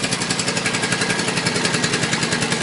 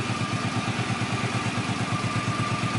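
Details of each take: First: Suzuki Boulevard C50 800cc cruiser before cam chain rebuild: a fast, even metallic clatter of about a dozen ticks a second over the idle, like a sewing machine. It is a stretched cam chain slapping at the top of the rear cylinder. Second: Suzuki Boulevard C50 800cc V-twin after cam chain rebuild: even, steady idle with a clean beat of about three pulses a second and no top-end rattle; the rear-cylinder cam chain slap heard before the repair is gone.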